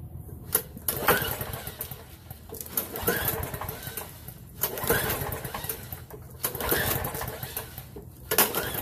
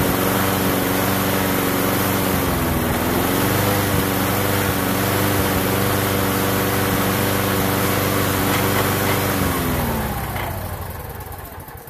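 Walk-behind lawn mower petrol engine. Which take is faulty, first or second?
first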